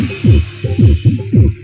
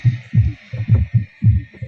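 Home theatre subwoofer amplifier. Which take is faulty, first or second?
first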